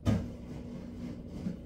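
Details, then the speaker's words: Maytag MVW7230HW0 washer (Whirlpool family) in diagnostics calibration mode, not connected to water: short, quiet, steady low hum with no rattles or grinding; the drain pump runs smoothly, normal for the calibration cycle. "that running right now the drain pump"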